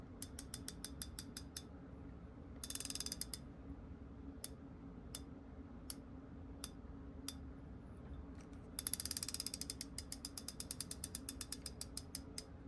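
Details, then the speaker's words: New Revo X spinning reel drag as line is pulled: crisp, evenly spaced individual ticks in short runs, smooth consistent pressure with fine control, unlike a cheap reel; normal drag clicking. "Pretty nice. It's pretty good. But what I really like is that you have individual ticks."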